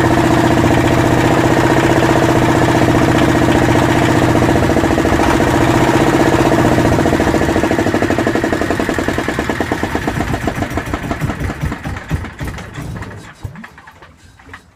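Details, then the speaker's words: Yanmar SB12 marine diesel on a sailboat, cold day (about 41°F), during fuel line repair: even idle knock after bleeding the fuel system, then the beat slows and weakens until it stalls, likely fuel-starved. "I'm not sure why it died. Alright, we bled it again, see if it lasts longer."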